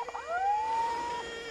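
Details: 1986 Mercury Marquis, winter cold start: a clear rising electric whine sweeps up in about a second and holds before cutting off; owner can't hear the fuel pump and suspects its relay; source unknown.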